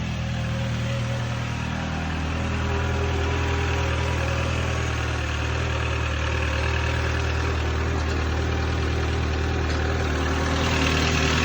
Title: N12 cold start with piston slap.